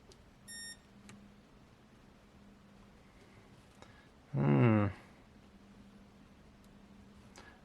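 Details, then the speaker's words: Würth 3/8in cordless impact wrench, on trigger pull: a single half-second harsh buzz with no spin-up; motor stalling, shorted controller MOSFET suspected. "let's pull the trigger and it dies doesn't even try to turn if I give it a flick first ah oh no a little bit of smoke there"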